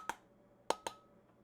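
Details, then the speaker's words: Four dull, low taps with little ring on the lid of a jar of dehydrated food: the flat low-pitch sound of a jar that has lost its vacuum seal, versus high-pitched taps on sealed jars. "it just has a flat low pitch sound and that is the indication that it is unsealed"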